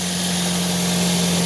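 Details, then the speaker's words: Toyota Vios after oil pan repair following oil warning: steady even idle hum, low constant drone, no knocks or ticks; engine quiet and no more oil warning on dash. "Tahimik naman tara. Wala nang warning."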